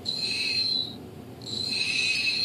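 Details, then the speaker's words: Hobbyking Sunbird 1.6m glider after a motor/ESC upgrade, bench-tested. A high motor whine cuts off abruptly on throttle cut, then winds back up. The ESC brake is set too strong and jerks the motor, so the ESC goes back into programming mode. "that like jerks okay so that's too much so we want to go back into the programming mode"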